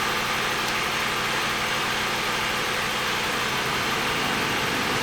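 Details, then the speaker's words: Running car bought for $400, just started, temperature not yet up: the electric cooling fan kicked on with a steady loud rushing whoosh over a low idle; the owner says the A/C needs Freon. "The fan kicked on, but it needs some Freon in it."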